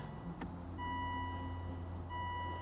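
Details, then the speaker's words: Aston Martin DB9 V12 manual, crash-damaged, battery just reconnected: clean chime repeating twice in quiet cabin with battery-off warning; pressing yellow button on battery may have cleared it, fuel pump prime possibly heard; cause suspected, not confirmed. "battery off check battery off switch doesn't work check battery off switch where's that"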